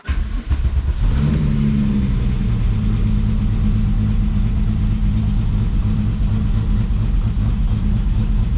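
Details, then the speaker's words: VW VR6 after final assembly with new exhaust, cold start: engine catches into low, slightly uneven lumpy cold idle; running rich because temporary intake piping was removed, oxygen sensor just starting to kick in. "rough on the coldness but i didn't like something but there we go"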